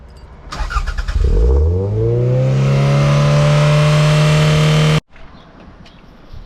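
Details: Toyota MR2 SW20 with loud exhaust, coolant very low and needing bleeding, run without air filter; engine climbs to a high steady rev and stays there without settling to a normal idle. Cause suspected, not confirmed.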